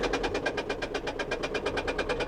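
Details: Nissan at auction, jump-started after sitting: a sharp, evenly spaced knock about seven times a second over a quiet idle. The speaker first suspected low compression and judged it top-end noise rather than a rod.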